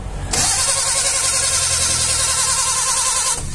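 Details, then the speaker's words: Suzuki Carry 1.0 that died suddenly while driving: the starter whirs steadily for about three seconds and the engine turns but never fires. No spark, traced to broken spark plug wires. "ini enggak mau hidup Hai mesinnya kronologinya pas pada saat saya lagi jalan ya Terus ternyata mati secara mendadak"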